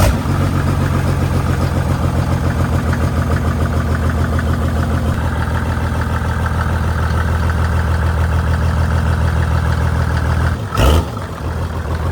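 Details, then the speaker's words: Mercedes diesel, high miles and a lot of abuse: fires up without even cranking, then steady, even diesel clatter at idle with no misses or knocks; normal idle. "miles, a lot of abuse, but it fires up without even cranking."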